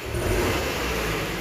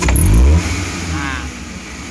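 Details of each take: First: Futura 1.5 (1500) van, complaint of stumbling on sudden throttle: snap throttle makes revs swell unevenly and stumble before pulling, with very dry exhaust. Mechanic suspects no spark or fuel in one cylinder; coil, plug or injector suspected. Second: Futura 1.5 (1500 cc) car after the fault is traced to its spark plugs alone: a quick rev from about 900 rpm idle rises sharply and falls back cleanly with no stumble, hesitation or vibration; snap acceleration normal.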